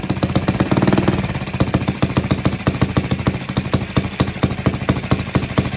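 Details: Villiers barn-find single-cylinder engine, first start on choke from float bowl, no governor, spring on idle screw, air filter open: sharp rapid firing at high unsteady pace; running too fast, speed to be screwed down.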